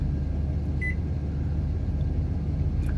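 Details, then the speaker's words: AIMS 12V 4000W pure sine wave inverter charger in power-saving standby: steady low hum with a short high beep as it pulses voltage to search for a load, drawing about 6 A per pulse; normal. "ower mode and what it does actually when it pulses that voltage it comes on briefly now this amp clamp's not able to pick it up cuz I don't have Peak Peak amperage on it"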